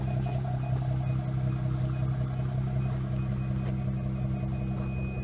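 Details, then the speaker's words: Aftermarket backup parking sensors just installed, engine idling: short, evenly spaced high beeps about two to three a second, reading 2.1 metres; warning correctly, working normally. "I have it hooked up there and you can hear it but if you can hear that that's the beeping"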